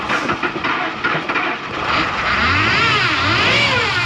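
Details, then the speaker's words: Old Ford F-150 after sitting 4–5 days, started after 45 tries once temperature rose to minus 25 and with the block heater plugged in: uneven cranking bursts, then it catches and rises to a fast, steady high idle; hard cold start. "There you go. After 45 tries. The temperature went up to, now it's minus 25 instead of 39. So, and plugging it in helped too."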